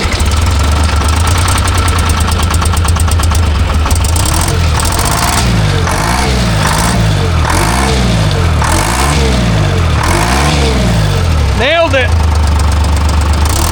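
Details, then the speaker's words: Timberjack skidder with a freshly rebuilt Detroit Diesel 3-53: diesel runs unevenly, speed swelling and sagging about every 1.5 s, sputtering, probably from air in the fuel after work. "It's probably going to sputter a little bit because there's a bunch of air in the fuel now."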